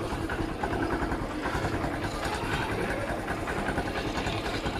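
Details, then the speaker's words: Honda CB110 single-cylinder after timing chain repair with a stiffer tensioner arm fitted: steady, even idle with a smooth low thrum; the earlier tensioner-arm ticking is gone, engine quiet and healthy. "So yun guys, wala na yung lagatik na naririnig natin kanina, no? Sa tensioner arm."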